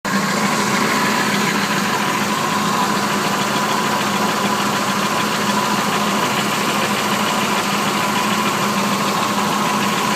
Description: Engine ticking sound coming from the bottom of the engine all spark plugs are good new flywheel installed with hardware thinking it's possibly a broken lifter